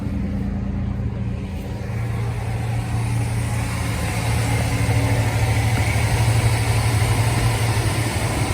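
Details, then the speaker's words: 2004 GMC Sonoma 4.3L Vortec V6 just after new ACDelco spark plugs gapped to .060, check engine light was on: even, deep, steady idle rumble with no stumble or misfire, sounds much better than before. "This sounds 100% better already."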